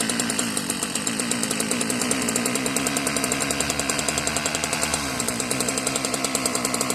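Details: Marketplace Homelite-type string trimmer, bottle-fed 2-cycle fuel; sticky throttle cable, and dirt blew out of the muffler on starting. A raspy, buzzy two-stroke holds a fast, steady rev with a slightly off note that the owner says almost sounds hopped up. Cause unknown.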